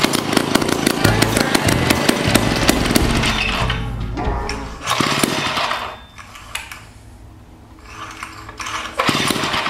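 Old two-stroke saw fires and runs raggedly, surging and sagging with uneven rpm, pointing to a fuel delivery problem rather than ignition. Cause suspected, not confirmed.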